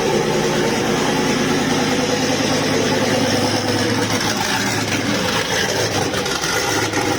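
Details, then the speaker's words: Volvo 240GLE with LS2 V8 swap, turbo project, first start after wiring fuel pump relays, cold day: freshly started V8 settles into busy, slightly uneven idle with steady exhaust burble; runs okay, tune needs work, fueling unknown. "oh that's pretty good as far as i'm concerned there awesome it runs okay tune obviously needs a bit of work"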